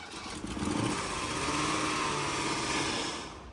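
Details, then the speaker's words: Mercedes W126 380SEL V8 first started after sitting about 15 years, running on an external fuel source with possibly too much fuel: smooth revs rising and falling cleanly, no knocks or misses, healthy but slightly rich. "Она хорошо звучит, братан. Звучит потрясающе!"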